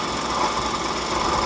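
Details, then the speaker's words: 2019 Ford Escape 1.5 EcoBoost: constant gritty whir over the idle with no knocking; noise traced to a worn water pump bearing, not the timing belt or drive belt. "YouTubers, 2019 Ford Escape 1.5 EcoBoost, and the engine has really terrible noise."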